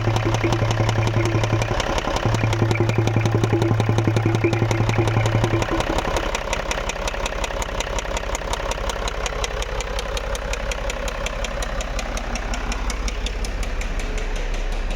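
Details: Range Rover 3.0 diesel, cold and not yet warmed up, idling: steady knock about three per second; piston knock suspected, with heavy crankcase gases and smoke from the oil filler cap and no check-engine light.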